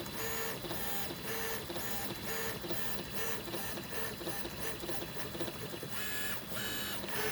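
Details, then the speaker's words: Easythreed K1 3D printer after replacing X and Y stepper motors with upgraded ones to cure clicking, printing first layer: rhythmic whirring and buzzing of axis motors, quiet, no clicks or skips; normal printing. "seems to be printing it's quiet it's not clicking"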